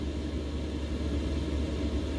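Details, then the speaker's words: 2 kW Chinese diesel heater installed in an Intech Pursue, turned down to its lowest setting: even steady low rumble with soft air rush, fuel pump ticking no longer audible; fan running normally. "all of course you can hear the fan quite a bit which is fine because that fan is gonna keep things nice and it's gonna keep things nice and cool on the case"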